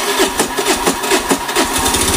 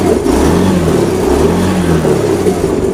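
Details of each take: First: Honda Beat FI sputtering and dying on throttle; fuel pressure below 10 PSI (normal about 40); small uneven sputters and coughs, barely holding idle; stumbling idle from low fuel pressure, fuel pump parts to be checked. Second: Honda Beat FI after fuel pressure restored to normal 40 PSI; engine picks up cleanly on each throttle blip, revs rising and falling smoothly without sputter or misfire; normal revving.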